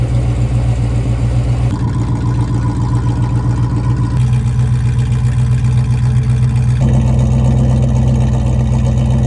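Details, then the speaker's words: Abandoned prototype Carlton Carrera supercar with most of the exhaust missing: loud, deep, steady idle with a hard open-exhaust bark, even firing and no ticks, knocks or smoke; the engine runs smoothly and healthy. "we have a Carlton Carrera that is running beautifully. There was not any smoke at all. It sounds great. It's smooth."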